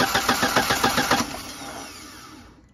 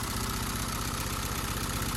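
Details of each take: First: Audi 80 1.8 mono that came in not starting, battery replaced: quick even cranking, then it winds down with no firing. No spark, traced to the central coil-to-distributor lead terminal pulled loose. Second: Audi 80 1.8 mono idling after the fix, reseating the central ignition lead from the coil that had pulled out: an even, steady idle with a regular low pulse and no misses or stumbles. It runs normally.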